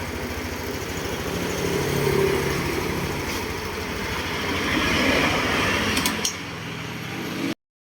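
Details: Yamaha NMAX 155 scooter that was silent when pressing the electric starter, fixed by spraying lubricant into the brake lever switch to clear rust. The small single-cylinder engine now starts and idles steadily and evenly, with a slight mid-clip rev rise; runs normally.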